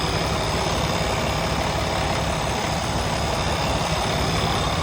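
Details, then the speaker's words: Freightliner Cascadia Detroit diesel just after its Parker Racor fuel water separator filter was changed, given a little throttle after starting so it wouldn't die and need priming: a deep, steady, even diesel rumble at idle with no knocks. A normal idle. "Now, one thing I did have to do was give it a little bit of throttle once it started up, just because I didn't want to have to let it die out and prime the system."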